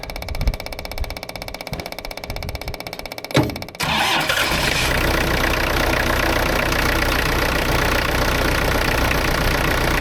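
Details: Branson 4720i diesel tractor after an oil and fuel filter change and priming: short crank, catches cleanly and settles into a steady, even diesel clatter at idle; starts and runs normally.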